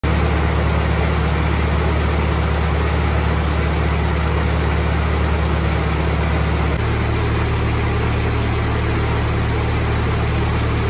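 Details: 1948 Ford 8N tractor on a test drive after a rebuild. A steady, even low putter with a smooth firing beat and no knocks or misses. The engine runs healthy.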